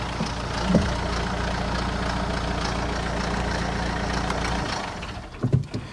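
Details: 2013 Mini One 1.6 D with the BMW N47 diesel: it starts and idles with a loud drone and a metallic "bag of nails" clatter, with the fan flapping. A worn timing chain is suspected, probably the top one; the plan is engine out and a new chain kit.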